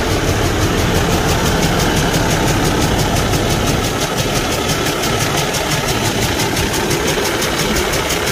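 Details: Kenworth T680 truck with a Cummins ISX15 diesel at idle; sharp rhythmic ticking chuff over the clatter from a damaged cylinder leaking compression, causing no power and high crankcase pressure.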